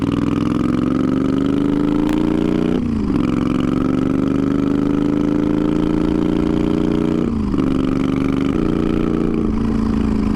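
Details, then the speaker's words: Twin-turbo Moto Guzzi V50 III cafe racer on its first ride, early morning in Arizona: engine note climbs under throttle, then drops with a quick whoosh as the blow-off valve vents on lift-off; the rider says it is running too lean. "We got some, dude. The blow-off valve went off. It's too lean."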